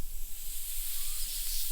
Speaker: yeah I found a leak on this main here so this is another operator area my spin seal I didn't get it burned in really good so sure you can hear that